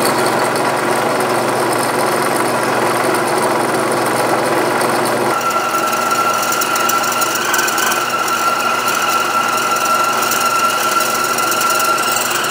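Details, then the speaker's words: New Grizzly G0561 horizontal bandsaw, 6 TPI blade swapped for Lennox 12 TPI: motor hum then fine rapid chatter and thin ring as the blade bites; slight chatter remains, belt speed then lowered, cause unconfirmed. "hmm it's still chattering a little bit but yeah let's see what's going on"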